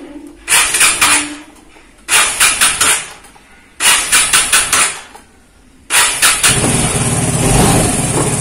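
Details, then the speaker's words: Vespa Matic scooter that suddenly wouldn't start, after the repair with battery reading 12.6–12.7 V: three short starter bursts, fires on the fourth and settles into a steady, even idle, charging at 14.6 V; starting now works. "alhamdulillah ahirnya nyala motornya jadi ada permasalahan di bagian lagi"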